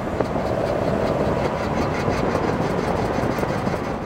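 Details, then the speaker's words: Toyota AE82 Corolla FX16 GTS with 4AGE engine: rough rolling rumble with fast repeated clunking from a totally broken driver-side front wheel hub bearing; passenger side hub still okay. "listen to this clunking the driver side is is wrecked the passenger side wheel hub is still okay"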